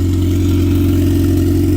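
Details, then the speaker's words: Turbo B18-swapped Honda running after first startup: low, even idle hum with no dips or hunting, so a steady, healthy idle; the fuel pump is noted as very loud. "It's running pretty good. Let's see if it proves me wrong."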